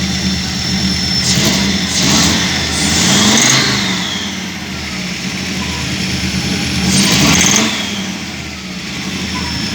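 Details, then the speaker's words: 1986 Audi 100 C3 2.0 L: revs rise and fall in short blips with uneven rough firing and a knock on throttle, like piston pins; engine misfiring, owner unsure of cause (previously a lifter ticked until warm). "А когда газуешь, появился стук в нем. Такой типа как пальцы или что-то такое."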